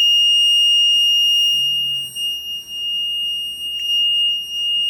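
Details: Maytag Neptune front-load washer, model MAH5500BW: a steady high-pitched electronic beeping that won't stop whatever button is pressed. The control panel is stuck in an error alarm and suspected faulty.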